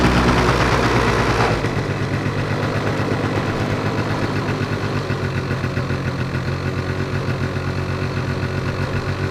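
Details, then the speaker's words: Two-stroke scooter with carburetor problem: choke removed, idle settles into slow dragging uneven beat, revs drop slowly and poorly; lean mixture uneven idle. "Сейчас, если убрать подсос, смотрите, вроде потихоньку начинает работать, но обороты, слышите, сбрасывает плохо."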